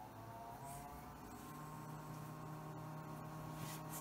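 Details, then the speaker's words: Windows 98 PC with GeForce4 Ti 4200, first power-on after case swap: low steady hum rising and holding with airy whir; one fan running loud, suspected to be the GPU fan. "it's a quite loud I think that might be the GPU fan I don't know we have to go look I gotta go check that fan because oh that sounds I found pretty sure that's the GPU fan"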